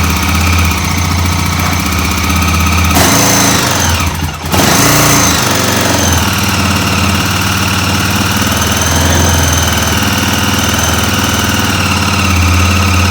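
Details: 2006 Honda TRX400EX Sportrax hybrid build, freshly rebuilt engine, cold weather: loud, quick single-cylinder thump at an even idle with one brief blip; runs healthy, possible slight exhaust leak suspected.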